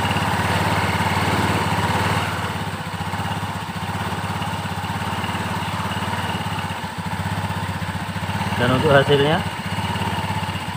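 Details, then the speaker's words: Honda Beat CVT scooter after cleaning and refitting the roller housing (rumah roller) that had been blamed for rough clunking noise: steady idle putter with a short throttle blip, smooth and even, no rattle; normal idle. "didengarkan Suaranya sangat halus"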